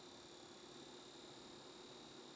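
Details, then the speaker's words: AOOSTAR AG02 eGPU dock running an RTX 3080 Ti for a mini PC. A constant high-pitched whine with an even hiss underneath that never changes; the dock's power supply is audibly noisy. "I still definitely hear that that power supply is pretty audible."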